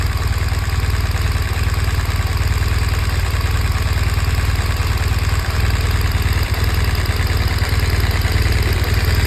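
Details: 2014 BMW R1200 GS engine at idle: a deep, steady twin throb with a light, regular ticking on top. The owner is asking what causes it.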